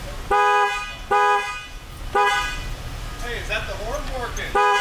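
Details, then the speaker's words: 2013 Dodge Ram 1500, earlier no horn with LIN bus fault U1009-00, battery reconnected, key off: three loud, steady two-tone horn blasts at full volume; normal horn. "do we have a horn yes we do keys still off but we have horn"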